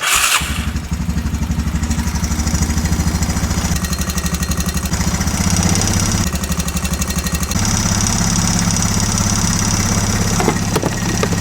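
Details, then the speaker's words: 2004 Honda Recon 250 ATV single-cylinder, just after valve lash adjustment, low on fuel so idling up: steady putter at fast idle, even firing with no top-end ticking; sounds much better, normal idle. "I mean, right away I think it sounds way better. It's going to shut off in a second and it idled up because the low fuel, but I mean that sounds way better."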